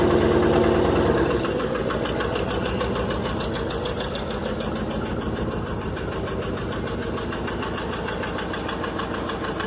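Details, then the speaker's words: Rolls Royce at idle in gear, brake lights stuck on; heavy strained thumping about three beats a second as if the engine is dragging against binding brakes; brake actuation valve springs suspected. "nothing you can hear it struggling the sinking I see me struggling get the great pressure"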